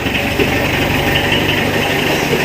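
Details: Mitsubishi L300 diesel after hard-starting and white-smoke repair (injection pump, injectors, fuel filter, timing): even diesel clatter at constant idle with no misses or knocks, white smoke gone; normal idle.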